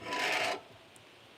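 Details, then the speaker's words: BMX wheel on a truing stand after dishing, with many broken spokes replaced: dry scraping rasp once per turn as the rim drags on the guide, from roughly the valve stem to the "I" in "un"; wheel out of true. "You can hear where I need to start and stop. So I start at the valve stem, and I stop at the I in un."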